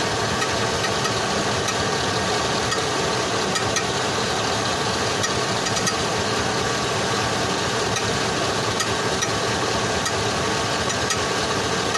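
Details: 2005 Chevrolet Tahoe idles steadily under a dense rattly hiss with faint irregular ticks; owner says this weird noise suddenly started one day from underneath the vehicle; source not pinned down.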